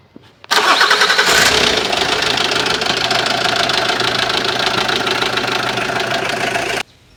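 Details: Mitsubishi Lancer after water pump, timing belt and belt replacement for an engine noise; the starter catches within a second, then a steady, even idle with no knock, tick or whine. Normal start and idle.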